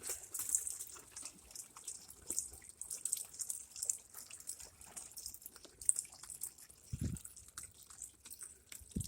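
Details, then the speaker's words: LG WM0642HW washer: steady hiss and trickle of water running into the machine while it should be idle, from an inlet valve stuck open that keeps running water as soon as it's turned on, even after unplugging. "she said she actually shut the water off because as soon as it turned on the valve just keeps running"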